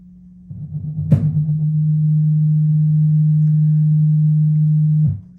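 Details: Audio-Technica AT-LP120XUSB turntable connected to a Dell computer at full volume, ground wire attached: constant low hum after a click, reduced only slightly by the ground. There is no hum on a different (ASUS) computer, so the Dell is suspected.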